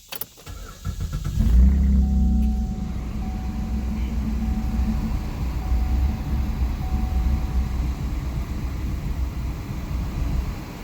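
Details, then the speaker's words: 2012 Chevrolet Camaro, first start after accident, low antifreeze, AC on: engine catches into uneven lumpy idle that never smooths; rough running because mass air flow sensor plug was found halfway on. "That mass air flow sensor might not be hooked up right. It might have came off. I'll go look and see."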